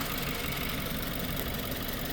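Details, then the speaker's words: 2018 Subaru Forester 2.0 turbo, check engine code P0304, heavy white smoke, still misfiring on cylinder 4 after spark plug work: rough uneven idle with irregular stumble and chuff; cylinder 4 misfire. "Oh Espérame espérame sí tenemos todavía el cilindro 4 fallando"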